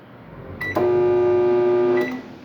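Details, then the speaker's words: Microwave oven that makes noise and doesn't heat: loud, steady, strained buzzing hum instead of the usual soft drone. Suspected short in the high-voltage capacitor or diode; both were later replaced. "buenos días gente aquí tengo un microondas que hace ruido y no calienta"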